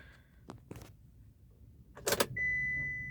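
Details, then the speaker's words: Used car check at ignition on (engine off): after keys jingle, steady high hum of fuel pump priming about half a second to a second; normal, whereas a much longer hum would warrant attention. "Ignition आप on कर लो, और इसमें इसमें क्या है कि आपको कुछ आवाज़ आएगी, बहुत 0.5 सेकंड कुछ मान लो आवाज़ आती है फ्यूल पंप की, फ्यूल ट्रांसफ़र में।"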